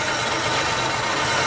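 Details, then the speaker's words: 1950 Plymouth engine after sitting and a tune-up: even, smooth idle with a light steady whir on top, no miss or knock; a couple of perished plug wires found, lots of vacuum, normal idle. "Purring like a kitten now. It does, it really does."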